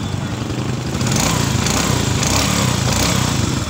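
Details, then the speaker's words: Honda XRM110 after overhaul replacing damaged noisy second gear: steady even idle putter with no knock or gear whine, only faint exhaust hiss; running smoothly. "swabe ng tunog yan tambutso lang yung uming sisingaw"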